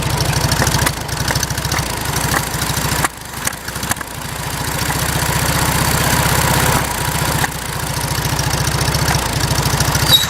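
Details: Farmall Cub tractor engine at idle: an uneven idle with irregular pops and dropouts breaking up the low putter. The cause of the popping is unknown and the owner is asking for ideas.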